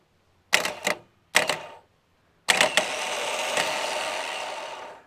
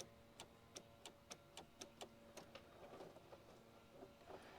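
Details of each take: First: Holden VP Commodore 5.0 L V8 starter motor bench-tested after drilling out the solenoid screws, reassembly and greasing: two short clack-and-whir bursts, then a longer free spin winding down with no grinding. Spins quicker with grease; normal starter operation. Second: Holden VP Commodore wagon with 5.0 L injected V8, after cleaning corroded battery terminals: quiet sharp clicks about every quarter second with no cranking. Relays click, power reaches the starter, but the starter motor is not even trying; faulty starter.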